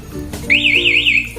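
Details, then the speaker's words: Motorcycle alarm newly fitted to a Kawasaki Ninja 250: a warbling high siren rises and falls after a second knock soon after the first, giving the longer alarm, which then shuts off by itself. "itu bunyinya lebih panjang kemudian sama dia akan mati sendiri"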